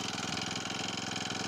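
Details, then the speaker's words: Cold start of an Akita trimmer/brushcutter with four-stroke Honda GX35 engine in its fourth season (2018), original spark plug, nothing changed; primed and choked, fast even idle with bright steady tone, no misses or rattles, normal idle. "Это на холодную она так заводится. Свечу я не менял, ничего не менял здесь."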